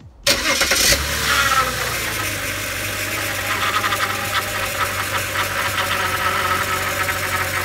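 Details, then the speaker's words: BMW E92 328i started up after a power steering fluid change; a thin, steady high whine rides over the idle until fluid circulates. The whine was worst on cold start and faded with warm-up; the power steering pump was whining. "I'm turning the car on and I want to show you the whining noise that it still was having until the fluid was rushing through the from each compartment"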